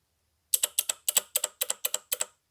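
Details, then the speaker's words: Shift solenoid removed from a 2002 second-gen Honda CR-V, actuated with 12 V from a jump box; crisp paired snaps with no buzz or drag. The solenoid works normally, so the transmission itself may be bad. "okay well that one actually sounds like it's good so the trans just might be bad"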